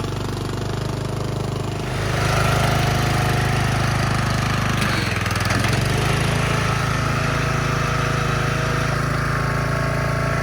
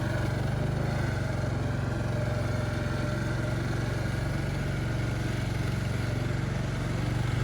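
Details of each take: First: Craftsman LT1000 yard tractor after revival service (new battery, spark plug, fuel lines, oil and filter, belts, tire tube), driven down ramp: single-cylinder engine picks up to a steady, even run with no misses or knocks; sounds healthy. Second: Craftsman LT1000 yard tractor that seems to have been sitting, creeping along: strained, labouring low drone under steady heavy load with no free-running sound; gears sound locked up, owner hopes it clears.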